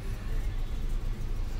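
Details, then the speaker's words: Nissan Sunny petrol car with cylinder 1-4 misfire codes P0301-P0304, idling after ECM repair and refit: short, steady, even low rumble with no stumbles or misfire; misfire fixed, though an oxygen sensor fault code remains. "गाड़ी हमारी first class start है। Race देते हैं जी। First class okay हो गई है। जी। गाड़ी में किसी भी प्रकार की कोई मिसिंग नहीं है अब।"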